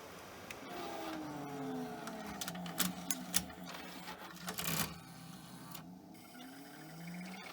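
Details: Pioneer DVL-K88 Laserdisc player bought as junk from Japan, switching to play the other disc side: smooth whirring motor tones glide up and down with light clicks as laser carriage swings across; healthy side-change mechanism.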